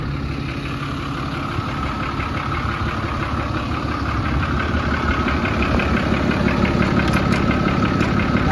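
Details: 2010 Dodge Ram 5500 turbo diesel, which owner says takes a while to start: steady, even diesel clatter at idle with a deep regular beat and slight rise in revs; sounds smooth and healthy.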